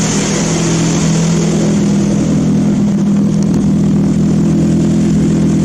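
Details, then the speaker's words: Old Mazda engine on a homemade ignition control computer, heard outside at the outlet of the homemade three-pass muffler. Loud, raspy, steady exhaust drone with a low pulse, louder than the owner wants; he plans to adapt the original car's muffler parts. "Certainly has a unique sound to it. It's a bit louder than I'd like at the moment, but I'm hoping I can improve on that."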